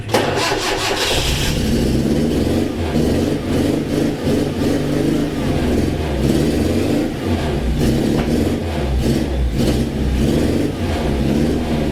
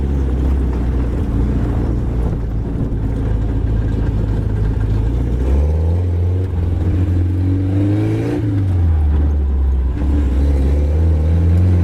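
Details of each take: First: 1980s Suzuki SJ (Jimny) off-roader four-cylinder: after cranking, uneven lumpy idle with dropped firing pulses; not running on all four, cause unknown, owner had played with the leads. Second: 1980s Suzuki SJ (Jimny) off-roader with solid axles, driving under load: smooth, even drone with no missing beats. Idle is poor, but it is running on all four cylinders.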